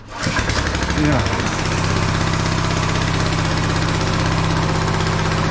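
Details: TrailMaster Mini XRX go-kart, electric starter dragging so pull-started: small single fires quickly, briefly revs, holds steady buzzing idle; engine runs fine.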